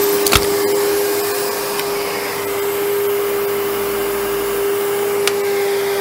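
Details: 1997 Sebo X1 vacuum, just collected, filters worn: motor holds a steady, even tone with no rattles or pitch wander; normal running.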